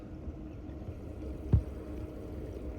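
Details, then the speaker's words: Fresh battery during acid-fill activation, acid bottle left on to vent: low bubbling gurgle with one brief pop from the cells; normal venting while activating. "Yeah. Jeez, they're gurgling. So, that's why I like to leave the bottle on cuz it can vent past it, but it doesn't just blast it in the atmosphere."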